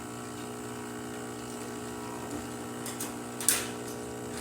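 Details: Breville Oracle espresso machine after full service for internal leak and growling noise: even buzzing pump hum at constant pitch through the test shot, no growl or rattle; pump working properly.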